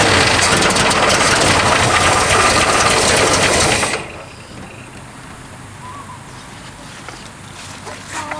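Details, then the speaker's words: 1969 Ford Mustang coupe revived after years of neglect, running on a squirt of fuel down the vent with the tank line disconnected: loud, rough roar for about four seconds, then cuts to near silence. "she wants to live that's for sure"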